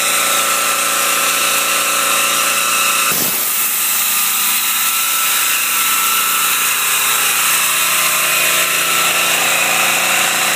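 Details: Homemade generator built from an 11 hp, 399cc Briggs & Stratton engine out of a Snapper LT11 and a 5,500 W, 120 V head, both rated at 3600 rpm. Loud drone dips as an air compressor and space heater load it nearly fully, then recovers and holds steady.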